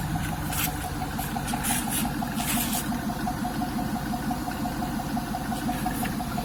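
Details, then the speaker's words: LT1 V8 F-body after coolant bypass mod and 58mm throttle body install; first started at about 3,000 rpm, now settled: even, low idle with light hiss, no knocks or misses, no check engine lights; normal idle. "Now it sits right here in the beautiful sweet spot, as you can see. And of course, everything's looking gravy. No check engine lights. Hear how my car's running."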